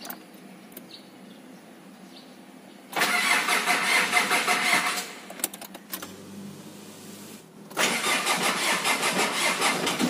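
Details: Mitsubishi Pajero, 4D56 SOHC diesel, starts and runs with a loud, heavy metallic knock over its clatter; teardown found a damaged connecting rod bearing, attributed to missed oil changes or poor-quality oil.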